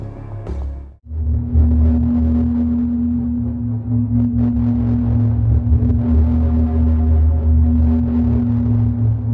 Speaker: It was kind of like a pulsing noise, almost like a sonar ping.